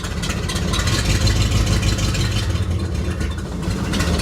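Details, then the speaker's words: 1960 Chevrolet Impala after sitting 32 years, carburetor rebuilt twice: low lumpy idle stumbling about three times a second, nearly stalling and shaking in gear; owner plans to check points dwell and timing; cause unconfirmed. "dies it idle almost shakes a lot it's idling crappy"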